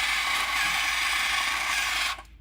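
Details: Small toy tank drive motor rated 9/12 V running on a 3.7–4 V LiPo, one motor on: loud, steady, high-pitched plastic rattle runs evenly for two seconds then cuts off; noisy gear train.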